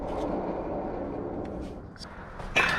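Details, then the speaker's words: Ranger 518VX bass boat trailer, brakes never changed in 3 years: wheel spun by hand gives a rough, steady scraping grind, brake pad worn metal on metal. "you see how this brake pad right here metal on metal if you spin it you can hear it grinding"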